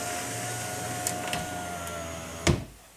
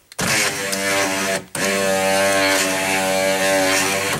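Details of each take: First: 2005 Chrysler Town & Country 3.8L, driver's front power window after replacing the regulator and motor: a smooth motor hum with a faint even whine, then a soft thunk as the glass seats; much quieter going down, still slightly slow going up. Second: 2005 Chrysler Town and Country Touring 3.8L, front driver's power window: steady droning motor whine with buzzy edge, pause, continues; noisy going down and slow going up, regulator or motor unconfirmed, before replacement.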